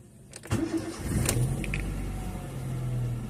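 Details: Honda L13 engine with a misfire: quick crank, catches and settles into a low idle with a slightly uneven, lumpy beat; cause of the misfire unknown.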